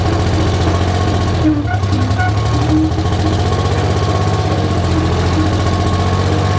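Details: Rebuilt 3-53 Detroit Diesel three-cylinder two-stroke in a Michigan 55A loader, abandoned 14 years and seized by water in the cylinders, at a steady, even idle with a firm regular beat and no knock; running healthy.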